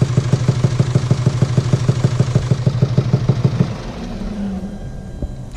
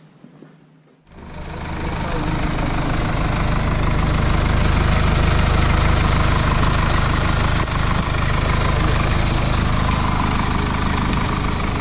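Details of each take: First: 2017 Mercedes E220d, 2.0-litre 654 diesel, heavy, regular knocking at about three a second at idle from faulty camshaft rocker arms, which were then replaced. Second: 2017 Mercedes E220d 2.0 diesel (654 engine) after camshaft rocker arm replacement: catches after a second and settles into a steady, even idle; knocking noise gone.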